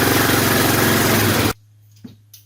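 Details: Suzuki Eiger ATV after replacing worn starter brushes, started with fuel on and choke on: the single-cylinder engine runs with an even, fast putter for about a second and a half, then cuts off cleanly; sounds healthy.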